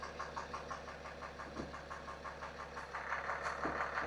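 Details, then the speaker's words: BMW 430d xDrive diesel, non-runner bought cheap, ex-Cat S, first start in a while: idle with a regular knock about three times a second over the diesel clatter, definitely knocking, sounds like bearing knock. "Yeah. Oh, it's definitely knocking."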